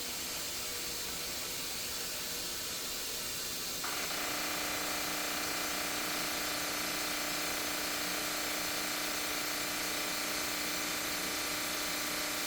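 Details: Maytag Commercial washer MVWP575GW0 bought 2021: rapid clicking, about three per second, then buzzing hum over hissing water at start of fill from front left, began two months ago; owner suspects drum lock release.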